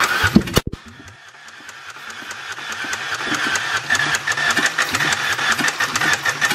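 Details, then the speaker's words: 2004 Ford Ranger Tremor, oil in the pan: slow, uneven cranking of about three beats a second with heavy thuds each turn, knocking that wasn't there before. Residual water or hydrolocking suspected, although plugs-out cranking had been done earlier. "you think it's just full of water still that's why he's knocking maybe Hydro locking"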